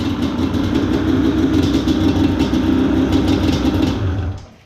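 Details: Fully built Yamaha Banshee two-stroke, which previously idled sky high, after adjusting the carb slides: steady, settled burble at a low, even idle until shut off; idle now normal, not racing.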